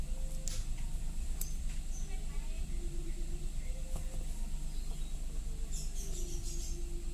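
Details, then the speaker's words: Daihatsu Ayla / Toyota Agya restarted after a light tune-up, throttle body and ISC cleaning, and a battery disconnect that reset the ECU; steady, even low idle with no knocks, misses or hunting; normal idle, cleaning judged successful. "Nah, yang kita langsam ya. Berarti pembersihan kita saat ini berhasil ya guys ya."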